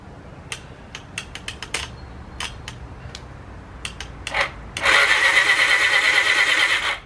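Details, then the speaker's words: 1980 Honda CB750F Super Sport ex-drag bike cranked on the starter button: a thin, labored whir for about 2 s without firing. The weak cranking is suspected to come from a bad, heavily rusted connection, not confirmed. "starter button's working. Not good, but it's working. Looks like it's got a bad connection here."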